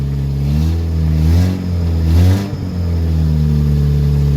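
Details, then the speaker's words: Woodgas-fueled Chevrolet Cavalier after fixing PVC piping leaks, air valve adjusted: engine hum rises and falls twice with throttle, then settles into a smooth steady run without misfires or stumbling; normal running. "seems to be running pretty good all right one way really to tell is to actually go for a drive though"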